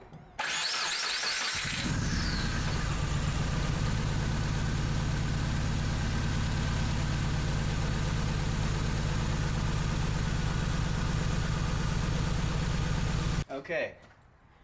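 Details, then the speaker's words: 2001 Subaru Impreza 2.5RS (GC8) with a flashing check engine light and codes P0301/P0302: it cranks, catches and settles into a lumpy, stumbling idle, misfiring from zero spark on cylinder 1, with cylinder 2 assumed the same. "zero spark from cylinder one so i'm gonna assume the same for cylinder two"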